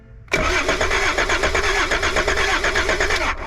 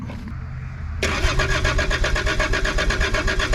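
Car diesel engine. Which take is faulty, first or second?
second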